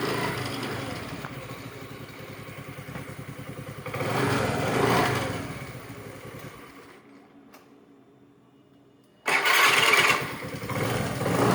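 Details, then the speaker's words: Honda Grazia scooter with self-start fault, after rewiring finished (self wire to switch, green wire to negative): pause, brief starter spin, engine catches at once into steady, even idle; self-start fixed. "ఈ విధంగా మనకి self complaint అయితే మనం Activa కానీ డియోో కి కానీ మన ఇప్పుడు చేసిన గ్రాజియా కి కానీ ఆల్మోస్ట్ హోండా బల్ అనేది చేసుకోవచ్చు"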